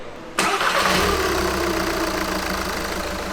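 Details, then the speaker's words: Car cold start after suspension bushing and link replacement: cranks and catches, then a slightly uneven, lumpy cold idle; mechanic suspects the spark plugs, not confirmed, to be fixed later. "It's a bit bumpy, in the cold because of the spark plugs, but I think we'll solve it later."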